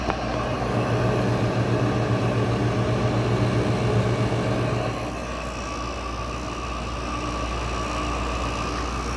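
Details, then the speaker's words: Goldstar WG5004 window air conditioner, LG compressor starting after sitting a while: low rough droning hum with coarse rattle for first seconds, then smoother as pressure builds; owner suspects lubrication issue, oil not yet circulated; rough startup. "Yeah, I think it's got a lubrication issue. That's what that sounds for. I'm pretty sure that is pointing to a lubrication issue."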